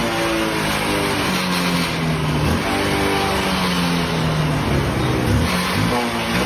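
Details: Honda Unicorn 150 after new Spaco carburettor replaced the old diaphragm carburettor: crisp clean revs rising and falling smoothly, no stumbling or missing; missing and misfire problem solved, engine healthy.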